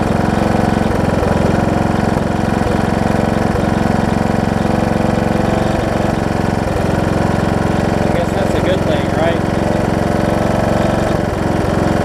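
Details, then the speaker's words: John Deere D110 mower V-twin test-running after a full rebuild with a new head gasket, done after a detached flywheel magnet was found: steady, even putter at constant speed, no knocks or misfires. Possible valve-cover oil leak, maybe just burn-off. Normal running. "right so foreign whoa i said seems to run good oh so good"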